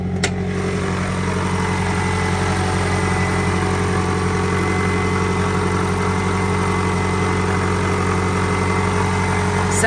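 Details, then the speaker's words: 1990 Toyota Camry 3S-FE idling after new timing belt and water pump, no coolant in block yet: smooth even four-cylinder idle, steady low hum; healthy, slight rattle owner attributes to missing coolant. "good I think there's a little bit of a rattle cuz there's no coolant in there"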